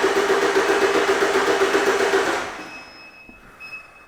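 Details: 2011 Ford Transit Connect 1.8 TDCi crank no-start: even cranking at about four beats a second for two seconds, never catching, while the crank sensor signal is scoped at its pins.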